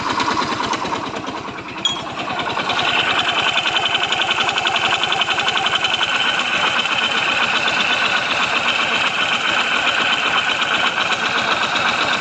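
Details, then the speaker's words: Yamaha Mio Soul i 125 running with a rapid, even knock about three or four a second over the engine note; owner blamed the pulley/back plate, but fitting new parts changed nothing; diagnosed as connecting rod knock. "Sira po niyan ay connecting rod mga kaibigan. Okay? Hindi po panggilid or pulley back plate bola an pag ganyan ang ingay mga kaibigan. Connecting rod na yan."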